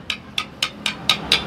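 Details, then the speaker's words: Hero Splendor Plus BS6 engine opened up, crank assembly shaken by hand: seven sharp metallic clacks about four a second; worn connecting rod big-end bearing with excess play, con rod and both side bearings to be replaced. "आप सुन पा रहे होंगे दोस्तों कितने इसके अंदर से sound आ रहे हैं जो अपनी क्रैंक है दोस्तों बिल्कुल खराब हो चुकी है"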